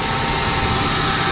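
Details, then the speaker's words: 2000 Nissan Maxima cold start just after Injen cold air intake install; steady hissing whirr over idle; source unknown, others suggest pulleys; unidentified noise at cold start. "Yeah, let's give you guys a cold start real quick. That noise, I don't know what it is."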